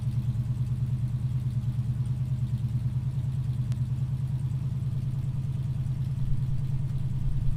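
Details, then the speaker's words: 1968 Ford Mustang during a pre-purchase inspection, cold engine just started and not revved: even, steady low burble of about three pulses a second with no ticks or clatter. Normal cold idle. "I don't rev it up too much right now because the engine is cold but I'll be checking it that later on once it's idle for a while or Road testing"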